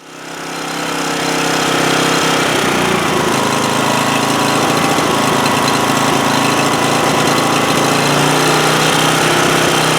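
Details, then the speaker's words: Homelite GC1800A 1800-watt portable generator from 2008, carburetor already cleaned: a steady buzzing run with a slight hunt early on, running best at half choke; lean, carburetor fuel flow inadequate. "well what I was what I was trying to demonstrate there is it's running best at half choke and so that's telling me carburetor is not the fuel flow through that carburetor is not really adequate"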